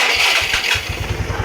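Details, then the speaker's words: Yamaha Mio Sporty 115 after the faulty fuel cock was replaced: a noisy starter whirr, then the engine catches and settles into a steady, even idle, with fuel feed now working. "Ayan. Maingay lang yung starter nito pero yung minor niyan."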